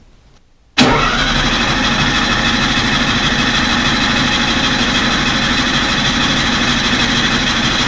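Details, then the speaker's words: VW 1600 Baja Bug first start after two-year rebuild, new electronic ignition distributor set at TDC: starter spins engine steadily but it never catches; 3 amp ignition fuse blew at key-on, no spark. "All right, so on that run, I forgot that I had only put a 3 amp fuse in the ignition circuit. So as soon as I turned the ignition on, it blew the fuse. I didn't even realize it."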